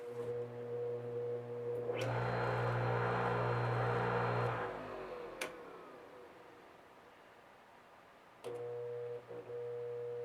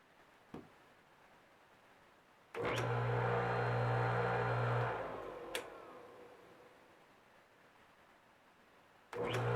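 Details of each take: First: Old electric motor from a cleaning tool, after repair and cleaning: hums up to speed and coasts down, then a single sharp click as the spring-loaded centrifugal disc expands and switches off the start circuit. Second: Old electric motor from a tool, cleaned after its spring-loaded centrifugal disc clicked it off on earlier tries: starts with a firm steady hum, runs smoothly at even pitch, then winds down quietly. It is now running normally.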